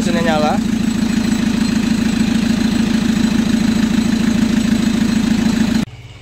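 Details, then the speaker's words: Chevrolet Captiva NFL AWD diesel (latest generation), after repair for a dash warning light and loss of power with turbo, CMP, MAP and P089 fuel-pressure codes, blamed on dirty turbo and fuel paths and a badly fitted turbo hose; turbo parts and injectors cleaned: settles into steady smooth idle clatter, no misses or knocks; healthy. "Sekarang kita nyalakan dulu mesinnya, kita biarkan dulu nyala sekitar 10 atau 15 menit."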